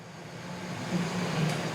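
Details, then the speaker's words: Three-phase squirrel cage induction motor on a trainer kit, delta connection after the starter (about 6 A starting, 3 A running), turning clockwise: a smooth, steady low hum swells evenly to speed with no knocks or grinding. Running normally. "Okay ನೋಡಿ, clock wise ಗಡಿಯಾರ ಹೆಂಗೆ ತಿರುಗುತ್ತೋ ಹಂಗೆ ತಿರುಗ್ತಾ ಇದೆ."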